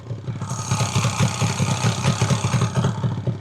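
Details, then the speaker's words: Fully restored, rebuilt-engine 1983 Yamaha RD250LC with original silencers, slightly warm: crisp, even two-stroke burble with quick clean rev blips and faint light rattle from kickstart needing tightening; very smooth, healthy two-stroke engine revving. "It does rattle a little bit. Just needs tightening the kickstart, so I'll put that there whilst you listen to it. And very smooth engine as well."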